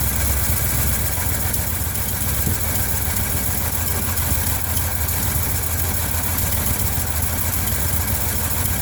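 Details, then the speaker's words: 1980 Ford F100 carbureted engine after 29 years sitting, new air filter, running off tank with fresh gas, fuel smell noticed: low, steady idle holding an even beat, no misses or knocks; engine idling. "I refilled the bowl, poured in a couple gallons of gas, and was eventually able to get it running off the tank."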